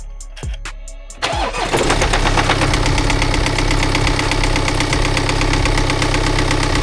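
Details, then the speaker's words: BMW X1 bought at auction, suspected spun bearing, at startup: the starter whirs, the engine catches, then a regular hard tapping rides over the idle. This is a deep internal knock, likely bottom end. "I think you'll agree whether you're a mechanic or not your engine should not be making that noise"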